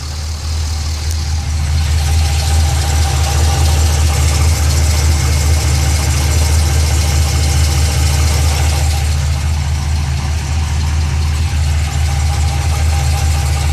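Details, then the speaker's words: Pontiac GTO engine at idle: quick, fairly regular knocking at about two per second over a deep, steady idle, coming from the bottom of the engine towards the middle; cause unknown. "This is the noise I was talking about. It's coming from the bottom part of the engine towards the mid"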